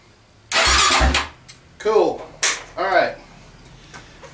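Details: Honda TRX400EX ATV after replacing a bad starter relay solenoid, tested with temporary wiring: a short, strong starter whir, then the engine catches within about half a second and fires cleanly. It starts normally.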